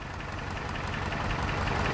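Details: Toyota 4Runner at idle, originally thought to need a clutch job: lumpy, uneven idle with a rough irregular beat in the low thump, a misfire, diagnosed with a test light.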